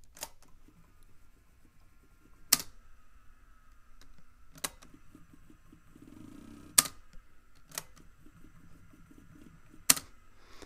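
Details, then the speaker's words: Technicolor CVC compact video cassette recorder pressing play: sharp irregular clicks every few seconds over faint motor whine, tape never moves; drive belt perished into goo (goopy belt syndrome), motor also suspected. "sounds like either the motor is having trouble or there is a broken belt in there could be both actually"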